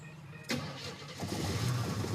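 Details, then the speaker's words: 1977 Pontiac Firebird/Trans Am project car, first start after gasoline poured down the carb. Oil gauge reads nothing (gauge thought broken), motor mounts shot. Catches, then a rough, uneven idle with occasional stumble: slight misfire, possibly timing or spark plugs. "It's got a little bit of a miss to it, but could be timing, could be sparkers."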